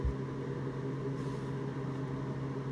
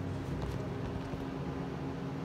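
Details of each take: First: 1990s Miller Econotig on AC high-frequency mode (not scratch start), TIG on aluminium scuffed and acetone-cleaned: low buzz, then harsh crackling hiss as arc strikes; no puddle forms, only black and dirty; arc leans to one side, possible electrode issue suspected. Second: 1990s Miller Econotig after a master switch replacement and wiring fixes, TIG welding steel in DC negative: steady even hiss over a low hum with no popping or wandering, a normal stable arc. The problem is in AC aluminum mode, not DC.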